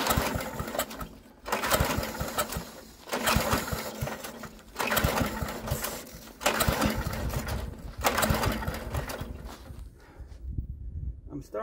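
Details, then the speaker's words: Troy-Bilt rear-tine tiller, choked with ether after carburetor cleaning: six or so recoil pulls about two seconds apart, turns over but never catches; spark tester later shows no spark, fixed by cleaning the magneto. "think that it wasn't just a carburetor so we're gonna test our spark now"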